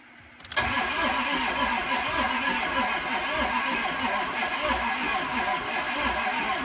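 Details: Ford 6.0 Powerstroke diesel, crank no start: cranks sluggishly in an uneven rhythm, about four pulses a second, never catches; batteries dead. Customer-installed injectors not torqued, suspected one leaking combustion pressure; fuel pump audible.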